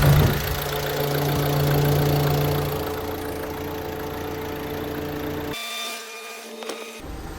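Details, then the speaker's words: 2016 Ford Transit Custom 2.2 TDCi diesel just after a high-pressure fuel pump replacement: it catches cleanly and settles to an even idle with a steady clatter, no misfire or hunting. Normal start and idle. "see that struck up really well it's running"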